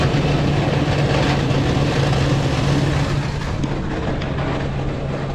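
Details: 2003 first-generation Toyota Sequoia, 363,000 miles, automatic transmission failed internally ("exploded"), leaving it stranded; coarse tumbling grind with loose rattling over a low drone, like a rock tumbler. Transmission internal failure, grinding.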